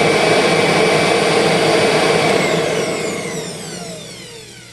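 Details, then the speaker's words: 2001 Kirby G6 vacuum with upgraded transmission, test run after new bearings were fitted: motor runs at full speed with an even, steady whine, then switches off and spins down smoothly; the earlier brush/commutator noise has cleaned up a little. "Well, that kind of cleaned itself up a little bit all by itself. Isn't that amazing? Gee, not bad."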